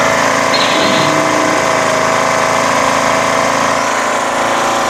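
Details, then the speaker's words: Craftsman LTS1500 lawn tractor repowered with a rebuilt 17.5HP Briggs OHV engine after a valve lash redo, pushrod swap and new fuel filter, lines, shutoff and tank: steady, even idle, no knocks or surging; runs great. "it works and runs great you know so we have a direct replacement 17 point five horsepower engine on the original stock model"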